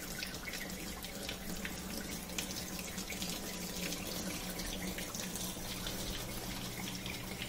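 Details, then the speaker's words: Kenmore portable dishwasher: steady rush of water over pump hum, then empty-sump sound as all water drains out; normal draining restored. "so that sounds the empty sump that means it's already drained out all the water"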